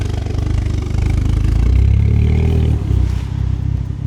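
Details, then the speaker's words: Ford Focus ST-2 bought as spares or repairs, started up: deep lumpy idle with uneven thumping and stumbles, really badly misfiring, pouring black smoke from the exhaust and engine light on; cause not yet known. "So, it's really badly misfiring."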